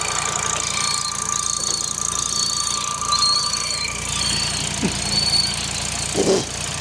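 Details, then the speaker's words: Mark 1 Audi TT RS 2.5-litre 5-cylinder at idle: steady high whistle over the engine with a fainter lower tone, persisting while checking; vacuum pump rear leak or air leak suspected, smoke test planned. "vacuum pump back there no no the vacuum pump's under here and I've had them where the back of the vacuum pump leaks okay [Applause] or still sounds there doesn't it"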